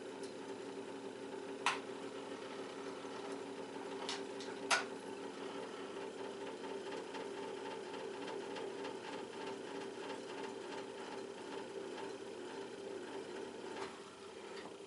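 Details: Montgomery Ward Hydromatic fan-forced radiant heater after rewiring: soft motor hum with light chatter and sharp ticks; fan rattle, owner suspects the blade loose on its rubber hub plus play in the bearings.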